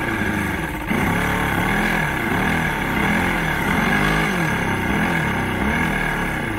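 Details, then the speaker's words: Old 90hp Johnson outboard on a 1987 Crestliner, sat about a year, fresh plugs, primed with starting spray: cranks, catches and stumbles, surging and dipping without settling; hard starting, needs assist, carbs and fuel lines to be cleaned. "yeah the carbs are going to be taken off and the fuel lines are all gonna need to be cleaned out"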